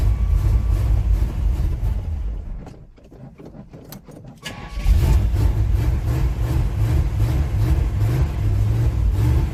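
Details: 1987 Chevy S10 with 305 small-block V8, after replacing a broken mechanical fuel pump and priming the carburetor: cranking stumbles a moment, then catches into a strong even rumble; healthy start and idle, fuel now reaching the carburetor.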